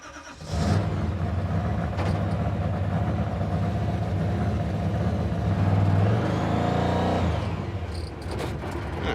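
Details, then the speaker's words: Supercharged 426 Hemi V8 in a '55 Chevy with prototype throttle body, after adding a second return spring: fast, busy idle that won't settle, surging higher and dropping back; throttle sticking, idling far too fast; high idle from sticking throttle. "one block later next problem the throttle is sticking or at least the thing's idling way too fast now we got two Springs on here"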